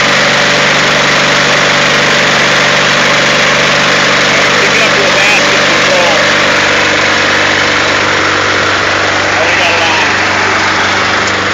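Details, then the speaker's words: Onan Performer 24 engine in a man-lift with patched muffler needing replacement: steady, even drone with loud raspy exhaust holding speed as load comes on; running normally under load. "as you see the motor underload will still take the load all right it's uh working okay for what it is"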